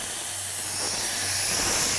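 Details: Continuous sharp, steady hiss of compressed air leaking from a faulty valve on a contractor 6.0 blast pot with electric controls and a Millennium valve; its weep holes help diagnose it.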